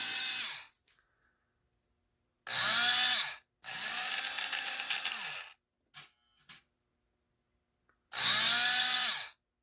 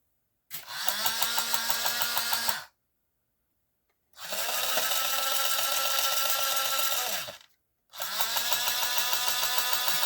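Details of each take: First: Lionel 6-12741 intermodal crane after a brass pinion gear was installed. The knock had come from a cracked plastic helix gear meeting the worm gear. Now short bursts of even motor whine with no knock or skipping. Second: Lionel 6-12741 intermodal crane, running original unit: small motor whirs in short runs with a steady knock about three times a second; owner suspects a cracked or deformed gear.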